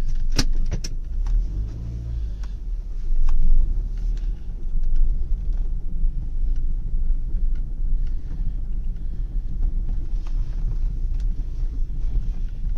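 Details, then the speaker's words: Car interior while driving after tire dresser was applied to the rubber seals of all four doors, which had been damaged by dashboard polish and were making noise: steady low road rumble, only a few light clicks, no squeak; door seals quiet now. "इसलिए ये आवाज अब इसलिए rubber खराब हो गई मेरी और अब ये ठीक हो चुकी है"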